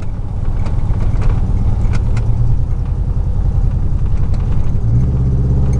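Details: 2000 Chevy truck, 4.8 V8, four coils deliberately unplugged, driving; heavy lumpy low rumble with uneven beat rising with speed; misfire, running on four cylinders.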